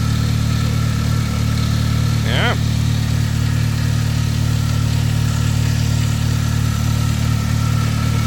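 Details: Older Saab from the Saab 9000 era idling: steady idle with a thin constant whine and faint chirp over the low rumble; noisy accessory belt or idler pulley suspected, plus a slight exhaust flange leak.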